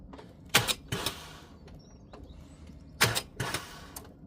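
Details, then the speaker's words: Mini Cooper S with a known good, freshly connected battery: two pairs of heavy clunks as the starter engages and the engine rocks without turning over; the engine is seized. "the starter is trying to engage now when I turn the key you can hear is trying and that's the engine literally rocking so the starter is trying to turn it over but the engine is C"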